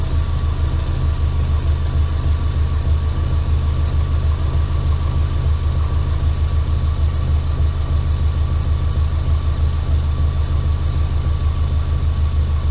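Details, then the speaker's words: Subaru Impreza boxer engine rebuilt with SOHC heads, first start after over 2 years, warm-up idle: even steady low rumble, no knocks or rattles; scan tool shows very low load. Normal idle. "It shows really nice, a very low load right now. It's working pretty good. So I'm going to let it sit and idle for a little while"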